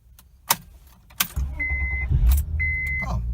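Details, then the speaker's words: 2009 Honda Accord V6 with 6-speed manual, after starter replacement. A couple of sharp clicks and a quick crank, then the engine catches and settles into an even idle. Normal start. "alright let's start it again just in case yep it's been starting up"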